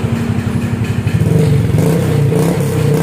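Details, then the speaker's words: Honda Vario Techno 150 scooter at idle, then revved, with a drilled-out, gutted (bobokan) muffler whose insides are oily from past smoking: harsh, raspy, booming note swelling with throttle, no silencing, before restoring it to stock. "Dan ini ya udah pernah dibobok. Bunyinya kayak gini idolnya bro ya."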